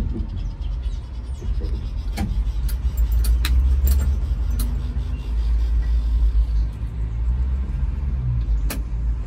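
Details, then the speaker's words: Dodge D300 military truck with slant six and manual, stood about 22 years under a tree, points just changed: rough, ragged chugging that keeps stumbling and dies as it runs out of petrol (fuel starvation). "it no ways way SW donkey sounds he sounds like a donkey that's a petrol there no more petrol sry about that come on baby need more ju need some petrol"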